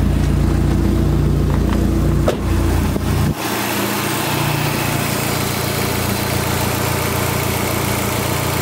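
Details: Dodge SRT-4 after replacing a leaking intake manifold gasket that caused a vacuum leak and misfire. Steady, even idle at about 950 rpm with no hiss or puffing, settled after a brief blip; a healthy idle.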